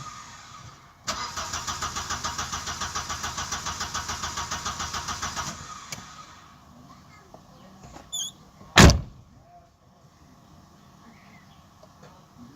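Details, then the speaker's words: 1992 Audi 80 that intermittently won't start: starter cranks evenly about seven beats a second for four seconds but never fires; no fuel pump sound even with power applied directly, diagnosed as failed fuel pump needing replacement. "Och det hjälpte inte heller. Den är fortfarande ur funktion. Ja, ja. Då har vi en diagnos i alla fall. Han behöver ny soppapump."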